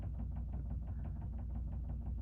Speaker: sorry if you you hear that weird knocking sound my dryer is going